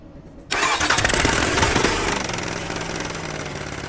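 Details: Cummins 4-cylinder diesel engine catches after half a second and settles into a busy, uneven clatter with a knocking beat; engine timing mentioned; abnormal engine noise, cause unclear.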